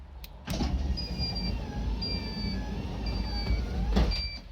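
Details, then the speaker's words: Modifero MOD-03 dual-motor automatic door on a Ram ProMaster, with the motion beep just switched on via remote: motor hums as the door travels, high evenly spaced beep about once a second, working normally. "So you heard it beeped twice. Now when we open or close this, it's going to start beeping."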